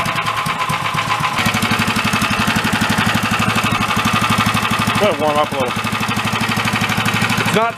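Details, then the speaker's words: 13 hp Honda-clone single-cylinder engine for a go-kart, run after valve adjustment; steady knock about three per second under the exhaust beat, getting louder the longer it runs, cause unknown. "it's getting louder too bad it would sound awesome it wasn't making that noise"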